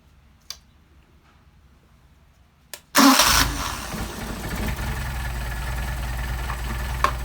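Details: Mercedes 190SL Solex carburettors on a test engine, after tuning to about a 500 rpm idle: a hot start with a brief crank, then the engine catches at once and settles into an even, steady idle with no stumble; a clean hot start.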